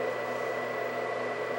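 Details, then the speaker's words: White Xbox 360, believed Jasper revision with extra GPU heat pipe, running: steady loud fan rush with constant thin whine, no change in speed; cooling fan much louder than remembered but console working. "so i just wanted to show how loud this was i don't remember these being so loud it's freaking loud"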